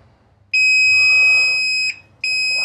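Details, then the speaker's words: Amana dryer with no heat, parts disconnected and tested with a multimeter for continuity while suspecting the heating element. A steady high-pitched beep of about 1.5 seconds repeats. Continuity beep. "so take these off and what you want to do is put one post on this and the other here and you want to hear that beep"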